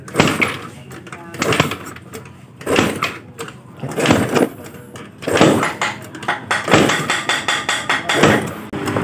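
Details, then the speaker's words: Yamaha Mio Sporty scooter with total no-start, compression check with the spark plug hole covered by hand while kick-starting: sharp, strong air puffs burst out evenly about a second apart; good compression. "Dia akan nembak, ada suara dak, dak keluar angin. Nah, itu menandakan bahwa kompresi itu bagus ya."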